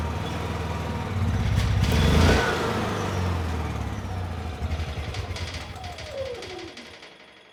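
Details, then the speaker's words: Honda EU6500is generator, 15 to 20 years old, eco switch off, light load plugged in: catches and makes power, sounds good, but engine speed swells and sags unevenly then stalls; fuel or spark problem suspected. "Although the generator is making power and the engine actually sounds very good, the engine speed is very unstable. So either it is a fuel problem or potentially a spark problem."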